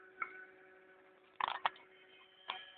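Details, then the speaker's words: 3D printer running a pen-draw calibration test: quiet stepper hum broken by irregular sharp ticks and a short clattery burst as the head jumps up and down at one point; square also drawn longer on the right Y axis; cause unclear. "you can actually hear it but when it gets to this point here it kind of goes tick tick tick yeah it kind of moves up and down"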